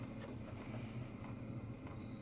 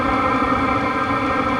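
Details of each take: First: Unmodified stock diesel heater that plugs into AC with built-in transformer, running: soft, even low hum with a faint fan whoosh and no knocks or rattles; quiet, normal operation. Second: Diesel air heater running with no silencer or muffler fitted on its exhaust: loud steady roar with a droning hum, no pulsing or knocking; unsilenced exhaust noise, quieted dramatically once the supplied hollow spring silencer is fitted.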